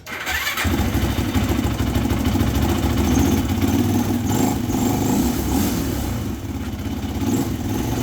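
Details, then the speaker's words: Yamaha YFZ450F quad, after replacing the cylinder to cure heavy exhaust smoke: catches quickly and settles into a steady single-cylinder idle with no misses, rattles or knocks and no smoke; normal start and idle after the repair. "all right sounds good uh there is no smoking coming out of the exhaust again so I think we're we're all set that new uh cylinder worked great"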